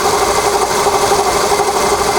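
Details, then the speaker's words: Volkswagen Polo at idle with the hood open: steady raspy rubbing over a constant mid-pitched tone on the right side, new since two days ago; suspected tensioner roller bearing or water pump; valve ticking is also heard. "Вот он слышно, как будто что-то трется."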